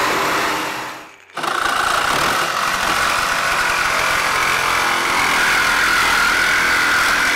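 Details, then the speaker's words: Angle grinder cutting a 1940 Chevy roof: loud high whine that dips sharply then recovers with an uneven rough edge; rough-sounding motor, brushes suspected worn, unconfirmed. "I might have killed your grinder yeah I got more is it dead that one is kind of on his last legs sounds like yeah sounds like the brushes have had a little too much"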